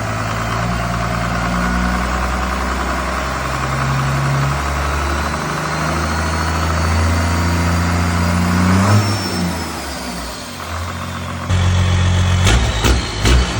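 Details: 1986 Ford F350 bullnose with a swapped-in 12V Cummins diesel cranks, catches and settles into a steady, even idle clatter with a couple of blips; healthy start and run after the swap.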